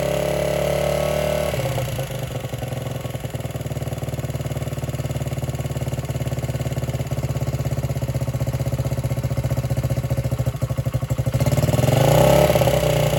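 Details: 1978 Honda XR75 single, first run since about 1989 after restoration; pops unevenly about three beats a second, surges when revved; would not idle or drive well, low on power; timing and compression checked; cause was carburetor needle clip in wrong position.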